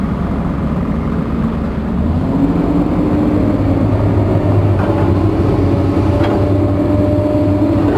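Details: Komatsu diesel with low power, high vibration and white smoke: loud rough rumble at steady speed with uneven heavy pulse; engine knocking, cause unclear.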